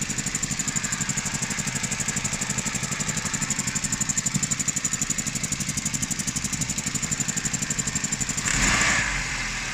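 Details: Fast even ticking about four times a second over steady idle; owner suspects fuel injectors, after cleaning manifolds and MAP sensor; source unconfirmed, noise later goes away.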